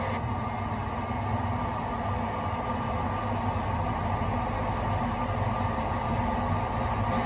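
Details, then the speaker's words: Lennox high-efficiency residential gas furnace on call for heat: steady even whoosh and low hum, no rattle or wobble, as the induced draft fan purges the combustion chamber before igniter ignition; normal. "When the induced draft fan motor comes on, it begins to purge the combustion chamber from any gases that may be left over or natural gas that has leaked out from the gas valve."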